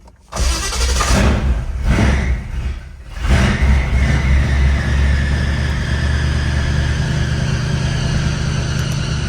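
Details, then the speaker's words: Car started: it cranks, catches and settles to a rough idle with a high, slowly falling whine on top; the alternator sounds terrible, the belt is already about as tight as it goes, and a new alternator looks needed. "That alternator sounds terrible."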